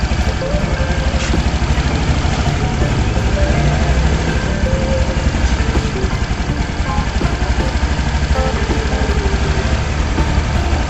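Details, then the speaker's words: Honda Vario scooter idling with a steady even thrum and no growl after replacing the rear CVT pulley bearing that caused a rumbling noise from the rear CVT; now very smooth. "ya kalau kita matiin kita Puter Hai ini halus banget enggak ada bunyi sama sekali ya"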